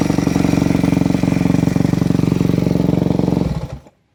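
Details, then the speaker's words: Four-stroke motocross bike with a Keihin FCR-MX carburetor after turning the fuel screw back out: the idle rises briefly, then settles into a steady, even single-cylinder thump, showing the fuel screw is set properly. "ideally we want it to sound just like it did there where it idles high for just a second or so and then it drops back down to your normal idle that typically means your fuel screw is set properly"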